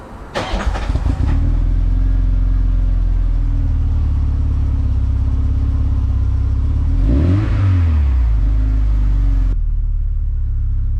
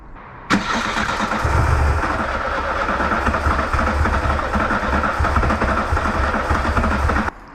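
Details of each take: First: VW Mk2 Golf 16V, cold no-start fault traced to temp sender circuit reading 1.4 megohms; with replacement temp sender plugged in, engine catches immediately from cold, settles to smooth even idle with one brief rev; normal cold start and idle. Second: VW Mk2 Golf 16V at about 7–8 °C, won't start cold; steady cranking about three to four compression pulses a second, never catches, while fifth injector voltage is checked; fault later traced to faulty coolant temperature sender.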